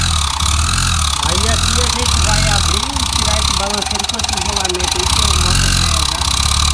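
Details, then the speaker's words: Yamaha XTZ 125 / YBR Factor 125, run with a test rig on the crankshaft after the cylinder head and camshaft bearing were checked without finding the fault. Loud, busy mechanical clatter over a steady low run. "ndo barulho muito alto quando funciona aí a gente desmontou tudo o cabeçote rolamento ali para ver o rolamento comando e não achava o defeito"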